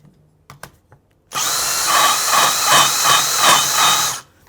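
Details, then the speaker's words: Moto Guzzi Le Mans 1000 cylinder head, cutting 45-degree valve seat during valve guide K-lining: harsh power-tool whir pulsing about three times a second, cutter vibrating over a more-worn-than-expected seat. Valve seat cutter chatter. "you can probably hear that noise that's the vibration side of it"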